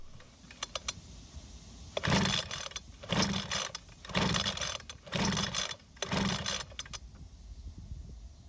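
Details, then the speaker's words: Ryobi leaf blower with an inline spark checker fitted, rope pulled five times about a second apart: brief whirring spins with no firing. The checker shows no orange glow, and the plug boot is damaged, so the ignition coil is to be replaced. "Unfortunately, I didn't see an orange glow from the tester, which means we don't have spark or it could be very weak as well. So, because of the lack of spark and also the damage to the boot for the spark plug, we're going to replace the coil."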